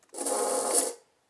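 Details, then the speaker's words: FDM 3D-printed roller bearing (TheGoofy's design) on a stepper-driven camera slider motion stage (DRV8825 driver, CNC shield V3 Arduino): harsh, gritty rasp for about a second while the stage travels, then stops; bearing grinding, too noisy and vibrating to use. "this is essentially unusable like if the bearing works but it makes way too much noise and way too much vibration for it to be used in a camera slider application"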